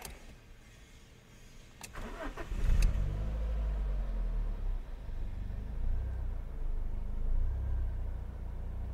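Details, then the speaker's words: Fiat Punto HGT after overdue timing belt change and cam variator rebuild: clean crank, quick catch, then smooth steady low idle with no stumble or rattle; much smoother and healthier than before repair. "sounds a lot nicer a lot smoother my word yeah that sounded much happier so that sounds a lot better compared to what it was"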